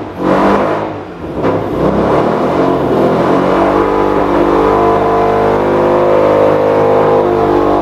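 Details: Mazda RX-8 13B rotary with LS coil swap, after cleaning injectors and replacing the fuel pump: revs up and settles into a steady buzzing run with a slightly ragged, uneven note, hinting at a lean misfire; cause still unknown, blocked cat suspected but ruled out.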